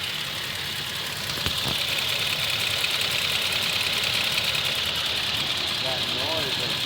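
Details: Well-maintained Toyota Tacoma at 50,964 miles, warmed to operating temperature, idling under 1000 rpm, no check engine light; dealer says within spec, owner suspects a defective motor. Light, fast ticking about three per second over the idle, with slight shake; cause unknown.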